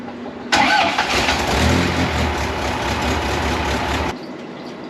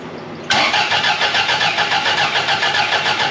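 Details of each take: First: 1982 Fiat 124 Spider, freshly rebuilt engine (built twice) with new exhaust, first start after timing tweaks, alternator not connected: fires straight away and runs steady and even, dips briefly, then picks back up cleanly; normal running. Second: 1982 Fiat 124 Spider, freshly rebuilt engine (built twice), fuel-injected at about 35–40 psi: steady rhythmic cranking at three to four pulses a second that never fires because ignition timing isn't set yet; crank no start.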